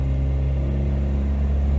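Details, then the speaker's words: Humber Sceptre on a road test after replacing the carburettor jets: low, steady engine drone pulling away with no hesitation, surge or flat spot, driving much better than before; smooth acceleration. "that's much better than it used to be much much better i don't know what's going to the fuel economy but oh that's driving beautifully"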